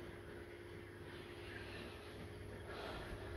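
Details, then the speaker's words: MV Steve Irwin ship fuel oil transfer pump filling the header tank: steady low pump hum with faint even rush of liquid flow, no knocks or surging, operating normally. "Can you hear any water flow? Um fuel oil flow. What I mean? Yeah, I can hear. I meant to say liquid. Oh, yeah. You can hear it."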